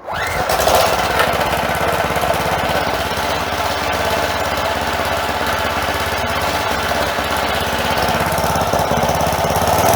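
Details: Craftsman 4 hp edger, small single-cylinder engine, after replacing a sand-filled carburetor (possible bowl gasket fuel leak): holds a fast, steady buzz for ten seconds without surging or hunting; runs smoothly.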